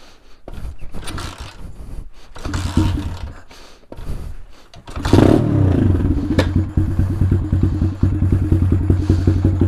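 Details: Taotao DB17 125 dirt bike, cold, unstarted a few days, after carburetor upgrade with cleaned air filter, on choke: several kicks before firing, then steady quick low putter without stumbling; starts and runs fine.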